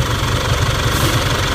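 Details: Isuzu D-Max 4JK1/4JJ1 diesel with new injector nozzles (shaking was from worn nozzles), long post-repair run-in: steady idle, even light clatter, smooth low rumble, no misses or knocks.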